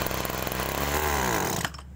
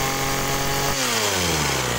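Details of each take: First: Agricultural sprayer small two-stroke engine: buzzes, then pitch sags and stumbles ("ngok") when throttled before dropping off; carburetor bogging on acceleration, a common fault on sprayer engines. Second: Agricultural sprayer two-stroke with a known-good spare carburetor: runs even and steady, then winds down smoothly and stops; no stumbling, normal carburetor reference.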